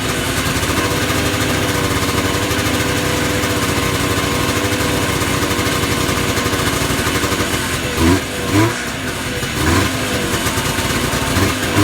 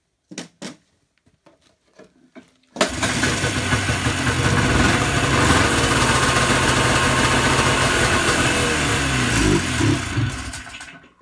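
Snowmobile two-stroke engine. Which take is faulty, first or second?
first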